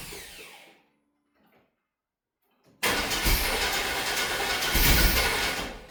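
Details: Long-neglected 1995 Chevy 1500, first start attempt before an ignition tune-up, on the old plugs and wires. After a pause the starter spins the engine at an even churning rhythm, about 3.5 beats per second, but it never catches. Crank, no start.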